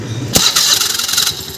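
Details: Honda Activa 4G scooter, self-start: starter cranks with harsh metallic rasp and chatter as the engine catches; bent crankshaft end fouling the starter drive, fixed by straightening the crank.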